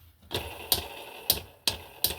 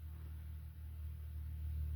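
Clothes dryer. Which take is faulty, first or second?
first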